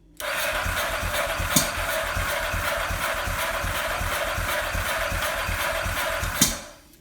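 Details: 2002 Ducati 998, recently serviced, timing verified, fresh fuel and filter, new battery, plugs and relays, injectors spraying and strong spark: cranks well with steady compression pulses but never starts, backfires if throttle cracked; crank no start.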